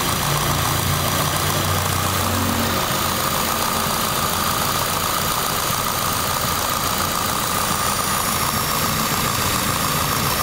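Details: Car with whole-body vibration, checked during a tune-up; rough steady idle under a constant airy hiss with a thin whistle near the intake manifold, injectors and throttle body; vacuum leak, engine sucking air.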